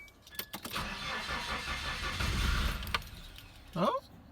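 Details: 1995 Nissan Hardbody KA24E, first start-up after freeing a frozen engine and replacing head gasket and timing chain; starter churns about three seconds after battery charging, uneven firing pulses nearly catch, then stops; cranks but won't start.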